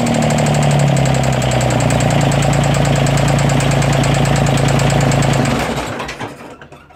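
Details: 332 diesel: rough idle with steady clicking about four times a second and an uneven misfiring beat before shutdown. The owner suspects a head gasket leak among other issues; the cause is not confirmed.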